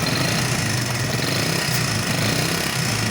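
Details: Hero Super Splendor BS4 single-cylinder motorcycle at idle: busy, rattling mechanical clatter over the exhaust beat, excessive engine noise; mechanic plans to remove tank and head top cover to check, cause not confirmed.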